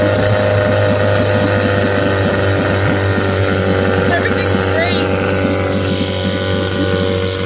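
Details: 1975 Johnson 6 hp outboard, which starved for gas and died at higher throttle, restarted after fuel line work: putters at a steady, even beat with no hunting or dying; clean, healthy idle.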